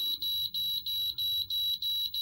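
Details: 1988 Amstrad PCW 8256 computer: the disk drive starts reading, then fails, with shrill even beeps about three per second repeating; load failure, disk very dirty, cause suspected not confirmed.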